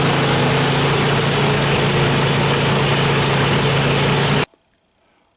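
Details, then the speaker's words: Craftsman 26-inch snow blower after auger bearing replacement, barely used this year, auger engaged: steady, even engine drone with no knocks or grinding, only slight engine lag, then clean shutoff; running healthy. "so yeah no noise couldn't even tell it was engaged honestly other than the little lag in the engine but I think we're good to go"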